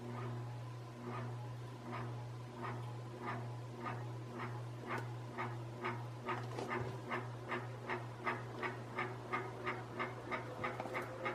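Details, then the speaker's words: Canarm 48-inch industrial ceiling fan, motor that arrived frozen and was freed with oil, test spin: steady low hum with a rough scrape once per turn, speeding up as it spins up; worn, dry motor bearing grinding. "um this one here actually will but as you can hear there's a bit of a bit of a grinding sound"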